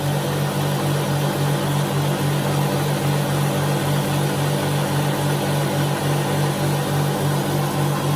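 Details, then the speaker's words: High-pressure airgun AC/DC compressor (with temperature readout, rated to 4,500 psi) running: quite loud, steady pumping hum of roughly 3.5 strokes per second, sounds healthy; reaches 4,000 psi quickly, normal running. "AC/DC gives you a chance to hear what it sounds like. Quite loud. Not near as loud as, it could be the same. It's just still louder."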